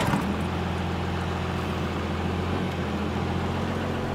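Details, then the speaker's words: 1985 Dodge W250 crew cab, 12-valve Cummins with V pump, compound turbos and larger intercooler, driving unloaded (not towing); steady low even drone, no knocks or turbo whistle, quiet in cab, a little smoky unloaded; normal diesel running while driving. "so as far as drivability goes unloaded it's really really good um it actually I believe the compounds do better when you're towing uh it's a little smokier when you're not Towing just because there's not as much load to get the turbos to spool up"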